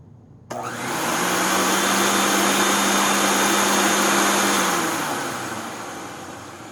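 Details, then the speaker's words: 1997 Rainbow D4C SE motor run with spider and separator nut fitted, after bearing replacement, to verify the lower bottom bearing on wind-up and wind-down. It spins up to a smooth whine and coasts down evenly with no grinding: a normal run. "Oh yeah, that's it. Nice and smooth."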